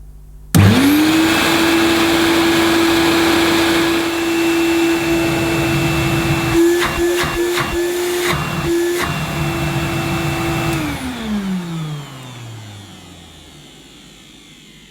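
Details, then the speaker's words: 1971–74 Hoover Dial-A-Matic 1149 upright vacuum run with the belt unhooked from the agitator: motor spins up to a smooth, steady hum and winds down cleanly; motor sounds okay, though owner wonders if a bearing sounds slightly rough. "well i think uh that motor to my ears sounds okay what about you do you think it sounds all right"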